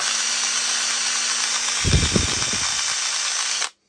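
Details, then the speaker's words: Makita DDA351 cordless angle drill after a superglue repair: high steady motor whine broken by about a second of low knocking clunks; rough, nagging noise. "we just need to get rid of that that nagging noise just check out what that is"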